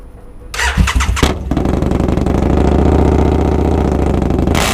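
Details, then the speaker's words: Husqvarna Nuda 900 starts after a few rough cranks, then settles into a loud, raspy, uneven idle; suspected exhaust leak through small holes, not confirmed. "oké om bingo dat is een lek denk ik kleine gaatjes hier maar dat het zo'n verschil maakt qua geluid dat verbazen als dat het is"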